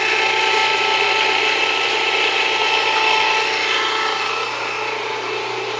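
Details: Jiffy Precision Mill, US-made electric steel burr grain grinder, grinding grain at a slightly backed-off setting; even steady grinding chatter with high buzzy whir, no labouring or squeal; mill warm but not hot after; normal grinding.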